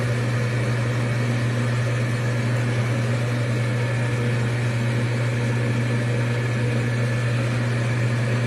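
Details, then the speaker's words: Amana gas furnace startup after igniter replacement: constant low hum from the exhaust inducer blower with steady airflow rush, drawing draft through the gas manifold and heat exchanger, no rattle; blower normal. "Exhaust blower comes on. It's exhausting. It's pulling a draft on the gas manifold, the heat exchanger."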